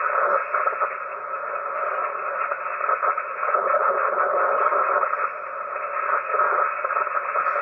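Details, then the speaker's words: HF receiver audio with a constant warbling hiss that never lets up, present wherever tuned including 160 m; interference noise of unknown origin making HF dead. "that it's everywhere it's literally freaking everywhere that's the center right there no matter where i go that noise is there"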